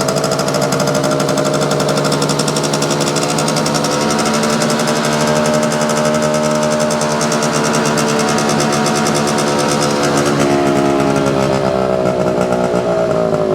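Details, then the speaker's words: Circa 1965–67 Yamaha YJ2 (Campus/Riverside 60) 60cc two-stroke, running with fuel just turned off before it dies: fast crisp ring-ding beat, steady and even, smooth and healthy; normal running. "okay I turned the fuel off so that ought to be uh killing it here pretty quick that's a pretty sweet little bike"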